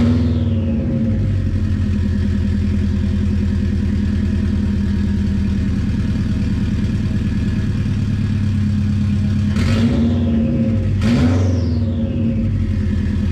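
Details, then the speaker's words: JDM EJ205-swapped turbo 2001 Subaru Impreza 2.5RS free-revving on GoPro audio: very loud, raw, uneven boxer burble with two sharp rev blips and a faint turbo whistle; the engine sounds healthy. "oh hell yeah I mean that's insanely loud right now but it still sounds super good not gonna lie hopefully you could hear the turbo whistle and stuff on the GoPro audio"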